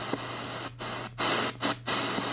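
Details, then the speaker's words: Choyong LC90 radio on shortwave, Voice of Turkey 11785 kHz: hissy static with crackles and dropouts, generated internally, persisting at low volume; caused by the radio's Wi-Fi, cured by switching Wi-Fi off. "so it's internally made by the radio some kind of internal main noise or something if I put the volume down there still there so it's not artifact a [Music] speaker"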